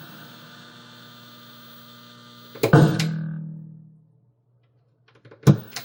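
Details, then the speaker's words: Sea Wolf arcade cabinet powered on: constant low hum drones from the speaker, then a clunk cuts it off. Cause not confirmed. "Listen to the speaker with the fluorescent light. It's a black light bulb. Fluorescent light. But it is making a horrendous noise for the speaker. And I think it's that transformer right there is the transformer."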